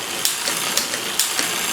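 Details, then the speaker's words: Liv Intrigue road bike on stand after new chain, cassette and cables: irregular sharp chain ticks about every half second over freewheel hiss while pedalling; rear derailleur indexing too loose, needs more cable tension via barrel adjuster. "Need some more tension on that."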